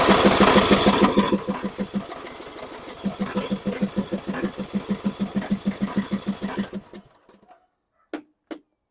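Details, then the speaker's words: John Deere E100 riding mower, about 35 hours, died while running with a puff of smoke: steady cranking at about three compressions a second, never catches; fuel pump delivers, but the carburetor fuel shutoff solenoid is stuck and not retracting, blocking fuel. "so this is most likely the culprate of why it's not running because it's not retracting so it's not letting gas go"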